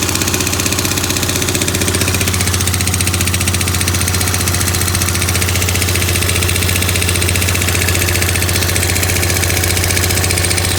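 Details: Yamaha Grand Majesty SG15 scooter at idle, 30,000 km, oil changed every 2,000 km: a hard, regular ticking knock of about four per second appeared suddenly. Owner hopes it's an AIS pipe exhaust leak but suspects the crank or head area.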